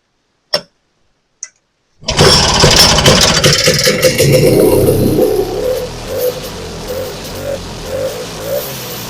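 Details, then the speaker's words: Vintage snowmobile after carb reinstall with new filter, new needle and seat, stale gas replaced: pull clicks, catches on prime with a burst then fades to sputters; not pumping fuel, problem found in fuel tank, corroded fuel filter. "And she's not pumping. Huh. Try her again. Well, that didn't work out super good."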